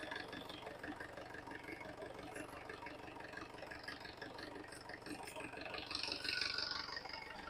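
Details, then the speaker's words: 1995 Mahindra 500 DI diesel jeep, first cold start after four years parked: quiet, steady diesel clatter at a low, even beat with no misses or knocks; healthy idle, no particular problems. "Gayas വണ്ടി start ചെയ്തിട്ടുണ്ട് പ്രത്യേകിച്ച് പ്രശ്നങ്ങളൊന്നുമില്ല വർക്കിം തന്നെയാണ്"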